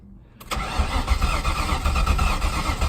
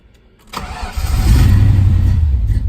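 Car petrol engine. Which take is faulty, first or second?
first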